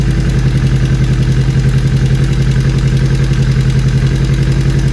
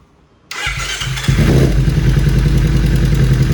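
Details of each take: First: 2013 Kawasaki Ninja 250 FI (EX250-L) parallel twin, 40,000+ km, idling after fixing weak cam chain tensioner: steady deep even beat with only faint light clatter. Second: 2013 Kawasaki Ninja 250 FI (EX250-L) twin, 40,000+ km, at idle: rough running with irregular metallic tick-tick not following throttle; weak cam chain tensioner letting chain slap.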